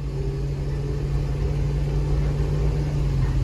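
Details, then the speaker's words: High-mileage mobile detailing van while driving: a steady low drone and rumble with a rubbing drag heard only in first and second gear; owner suspects the transmission. "it's like something is rubbing i want to say is the transmission making that noise but then at the same time i don't know because it's only making a noise and like they're like first and second that i can hear it"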